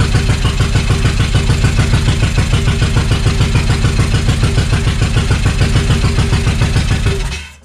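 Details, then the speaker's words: Suzuki Intruder VL1500 V-twin that sat for years, run on choke at a loud, lumpy fast idle and then dying off; it won't run without choke because of dirty carburetors. "so it doesn't want to run without the choke being on so that's a good sign that the carbs are pretty shitty"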